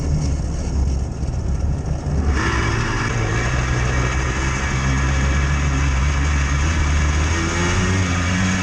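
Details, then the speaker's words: Quad (ATV) riding along with a deep steady low-end rumble under the engine note from worn-out bearings, worsening as it goes; thickening smoke suggests the adjacent seals are also failing. "you can really hear that low end bearing sound now it's getting real"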